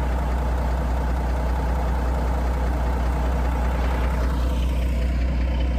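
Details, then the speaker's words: Cabover diesel truck left running after being parked, smoke coming off it: steady, even low diesel rumble holding the same beat, no knocks or misses; still sounds as before parking, healthy idle. "Still sounds good. Still sounds like it did before I parked it."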